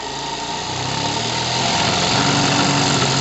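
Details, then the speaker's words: Single-acting twin-cylinder high-speed live-steam engine, running at high speed: fast, even chuffing of about four beats a second that swells as it speeds up, with no stumbling or loss of pull. Normal running at high speed. "Donc, cette machine magnifique, écoutez sa vitesse, parce que ne regardez pas le mouvement, il est faux, mais écoutez la vitesse."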